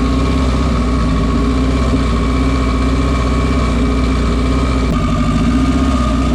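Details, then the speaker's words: Built race engine on dyno day after a misfire was found and the plugs were replaced with new ones gapped at .017: a loud, deep, lumpy idle with a cylinder dropping out. Still misfiring; a compression check follows. "all right so we had a Miss so I have Jamie change the plugs and get started again I still hear it"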